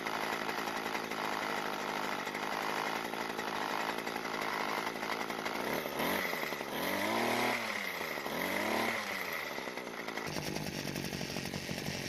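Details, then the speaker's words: Weed Eater two-stroke hedge trimmer, sold as non-running, fuel leak from brittle fuel lines, old fuel line reattached, carburetor untouched: high buzzy idle revving cleanly up and down twice. Runs normally. "well the good news is that it runs perfectly we didn't even need to go through the carburetor"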